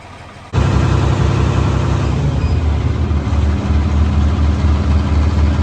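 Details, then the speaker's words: Tractor (4230) after fan belt refit and hydraulic drive coupler replacement: steady even diesel rumble, previous hammering noise gone, much quieter; normal running after repair. "oh yeah much better you can see that tell the difference in how quiet that tractor is now"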